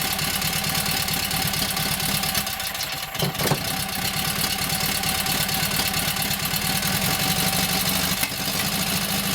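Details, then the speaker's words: Kohler KT17 twin, first start: even, steady idle with crisp exhaust beat, no knocks or misses. Oil pressure 50, governor pulls throttle back, timing good; carburetor needs tweaking, owner unsure of plugs. "Runs nice. Governor seems to work, wants to pull the throttle back. Timing sounds good."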